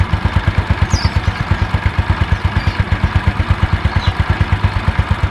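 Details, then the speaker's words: About 2007 Yamaha Mio Sporty after repair of CVT grinding caused by the kick-starter pin rubbing the pulley shaft: even, steady idle with no scraping or rattle from the CVT; smooth and healthy. "Wis, bedakan sebelumnya sama sesudahnya. Oke, harus ya teman-teman, tidak ada suara kasar."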